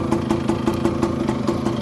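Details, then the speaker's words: 1985 Kawasaki KE100 two-stroke, sat many years with blocked carburettor, running on premix, idling: light regular tick about five or six a second over the idle; a funny noise, source not yet found, to be investigated. "got a funny noise from somewhere there i'll show you what it is but we'll have to investigate that as we go along"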